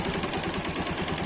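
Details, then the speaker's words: Pulsar 150 motorcycle after a half engine rebuild and piston bore: a sharp, even knock about ten times a second over idle; mechanic suspects the piston, with the magneto side also considered, unconfirmed. "लेकिन वो sound नहीं समझ में आ रहा। लेकिन यहां पर यह साउंड यानी पिस्टन की आवाज है।"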